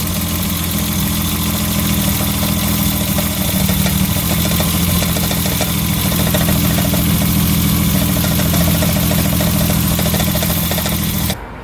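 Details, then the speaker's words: BMW E30 inline-six running a little rough at idle: the idle shifts pitch and settles as car cleaner is sprayed on a fuel injector, revealing a vacuum leak at that injector. Owner plans to replace the O-rings and rebuild all six injectors. "as you guys saw as I sprayed the car cleaner on the fuel injector the idle changed and I feel like that's what's making the car run a little rough now"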